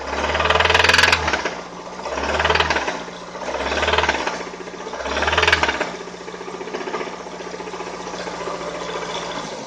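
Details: 2003 Toyota Avensis 1.8 T3-X petrol at idle; rattly knock swelling and fading about every 1.5 seconds; engine knocking and rattling at idle, source unclear.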